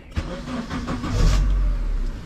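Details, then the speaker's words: Turbo Honda Element K-series with new intake manifold and Walbro 450 fuel pump, first start after install: brief crank, then engine catches and holds a steady even idle around 1000 rpm with no IAC, no misses or knocks. "we got fuel pressure to the front car is on idling check engine light no IAC Idols at a thousand so that's good"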